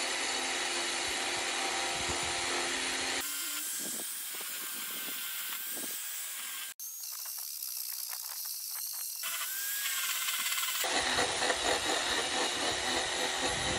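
High steady grinder whine with rasping cut bursts under light pressure, speed holding up without bogging; cutter working normally.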